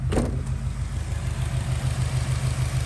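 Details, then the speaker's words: 2006 Subaru Outback XT turbo idling during a 5-minute Motor Medic motor flush warm-up, not revved: steady, even low thrum with a smooth regular beat, no ticks or knocks; idling healthily. "So it sounds good. Like I said, and you're gonna let it warm up."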